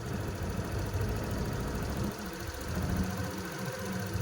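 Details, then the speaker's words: Suzuki Access BS6 scooter with a manual idle adjuster fitted, set to lowest steady beat without vibration: low, steady single-cylinder putter holding an even pace; normal idle. "Exact గా beating ఆడుతుందో అక్కడ వరకు పెట్టుకోండి మరి బండి vibrate అయ్యేంత వరకు పెట్టుకోకపోండి"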